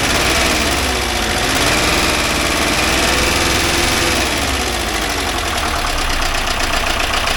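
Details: 1982 VW Vanagon Westfalia air-cooled flat-four after restoration and fixing starting and fuel problems, idle adjusted, not yet warmed up: steady, even idle with a soft regular beat, no misses; normal idle, oil light out, charging 14 volts.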